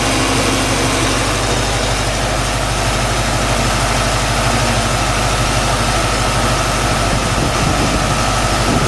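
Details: 1995 Mustang Cobra at idle with A/C on: steady low drone, fan hiss, no knock; suspected bearing-like knock likely from A/C compressor with clutch disengaged, disappears when A/C engaged.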